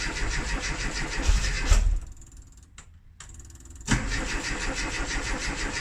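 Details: Classic Rover Mini with points ignition, unused for three months: two bursts of uneven starter churning with a pause, engine never catches; crank no-start after sitting, cause not confirmed.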